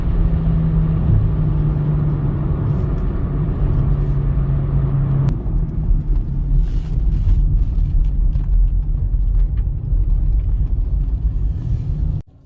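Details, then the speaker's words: 2009 Chevy Cobalt on road test at about 40–60 mph; steady low hum over road rumble from a worn front wheel bearing, to be replaced but not causing the steering-wheel vibration, which came from the driver-side front tire. "like I said I can hear the wheel bearing so I am going to replace that but definitely not causing the vibration of the steering wheel which is the reason why it was taken to the shop"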